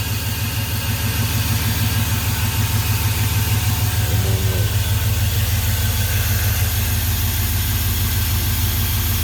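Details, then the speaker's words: Chevrolet Suburban idling after an earlier racket was traced to the AC compressor on its own belt, not the engine; steady, even low rumble with a smooth regular beat and no knocks or rattles; normal idle. "she's running good no more noise"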